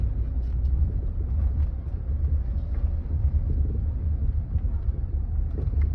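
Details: Land Rover Freelander 2 rolling over bumps: dull low thuds through road rumble; silent blocks, bearings, stabilizer link checked fine; worn rear shock absorber knocking.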